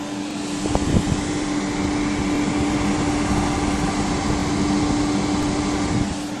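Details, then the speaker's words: Silverstone Air Penetrator AP121 fan, on the front of an Antec 902 case and run at max through a Scythe Kaze Master 2 fan controller, gives a constant rushing of air over a steady low hum. It is quieter than the stock fans, with no ticking or rubbing: a normal fan at full speed. "these are a penetrators one ap121 fans they don't perform quite as well as the stock horer fans but they're a lot quieter so I do prefer this"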